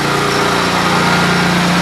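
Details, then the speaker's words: Kawasaki-engined small single, free machine sitting 2 years, pull-started and fired right up amazingly easily: smooth, even, steady idle with no misses or knocks; runs healthy. "That's Kawasaki for you. I can't believe I got this thing for free, but yeah, it's been sitting 2 years and it fired right up."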